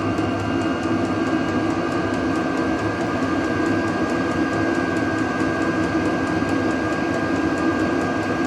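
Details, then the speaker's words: Vevor diesel heater run off an Anker Solix C300 battery bank, turned down to its lowest heat setting by remote after high: steady fan hum, thin constant tone and soft regular fuel pump ticks; running normally. "Turning all the way back down. Pretty good. So now on its lowest heat setting, it's"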